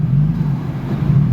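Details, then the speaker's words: 3SGE BEAMS-swapped 1975 Toyota Celica: deep labouring rumble, idle sagging and nearly stalling each time the AC switches on, gone with AC off; seized AC compressor dragging the engine. "i turned the ac off and you guys can't hear the noise instantly it comes back on instantly kills the engine"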